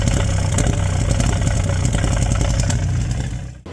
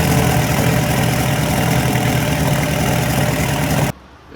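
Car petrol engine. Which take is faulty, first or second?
first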